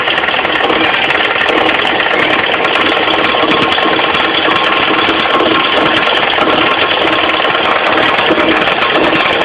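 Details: Mitsubishi 4G15 carburetted engine at idle: fast, steady clatter low down from the crankshaft pulley area, caused by a loose crankshaft pulley; fixed by tightening it.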